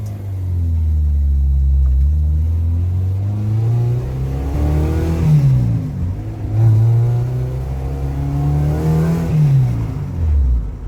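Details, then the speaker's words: Honda after transmission install; engine revs climb and fall smoothly, no knocking or wobble. Flywheel previously bounced and knocked, now fixed; check engine light on, O2 sensor possibly unplugged. "At least obviously the flywheel was an issue because before it was bouncing around, sounded like it was knocking. Not anymore, so that's definitely a plus."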